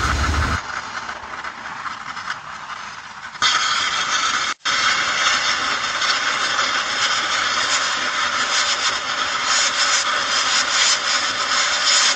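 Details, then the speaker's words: Gen 3 turbo LS drag car, just stopped after a test drive overheated it: sudden loud steady high-pitched hiss as the steam port hose off the heads came off, spewing distilled water and Water Wetter coolant. "so what happened is a steam Port hose that comes off the heads actually just came off and it was just spewing out the distilled water and water weather that I had in the coolant"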